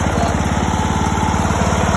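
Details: $50 John Deere mower after its blown motor was replaced, headlights on during a charging check: even, rapid single-cylinder chugging with a steady beat, no misses or knocks; lights brighten when revved, showing charging; healthy engine.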